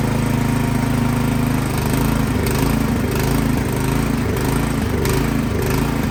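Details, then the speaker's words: Craftsman snowblower engine that started then died, after spraying carb cleaner into main jet without removing carburetor: speed rises and falls every second or two, hunting and surging; something still clogged in carburetor. Carburetor surging. "So it's hunting there, it's surging. So that tells me that something is still clogged up in that carburetor."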